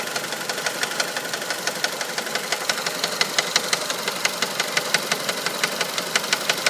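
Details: 1999 Mitsubishi Pajero iO with 4G93 engine at idle: sharp, fairly even ticking knock about three per second; owner suspects the crankshaft pulley, which wobbles noticeably, but the cause is unconfirmed.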